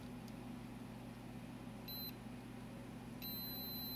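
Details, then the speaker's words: HP OmniBook 420/425 laptop board, logic probe on the CPU read/write line: a steady high tone that never pulses. No CPU bus activity, although the CPU gets warm and the 3.3 V and 5 V rails are present. "so you know with the logic probe i can probe the read write line and we literally have no bus activity"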